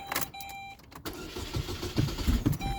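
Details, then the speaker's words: 2007 Saturn Ion with a replaced starter and an intermittent misfire, battery recently disconnected so the ECM is relearning: a chime, then a short, labouring crank that won't catch cleanly. The engine is flooded and hard to start. "flooded okay we gotta start it"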